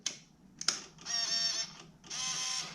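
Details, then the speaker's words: Yamaha V-Max at key-on, engine off, carbs just refitted: two half-second whirring motor bursts with clicks between; V-Boost servo cycling normally. "can you hear that that noise is the v boost"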